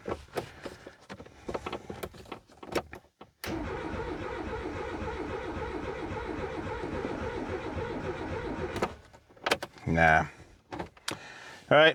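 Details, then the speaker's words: Renault 19 GTS Chamade restoration car, long parked (reportedly for a failed clutch), fresh petrol added, choke just turned on: starter cranks steadily about five seconds but never fires; no fuel pump heard, owner suspects fuel pump. "I don't hear the fuel pump kicking in folks so we'll have to have a figure about that"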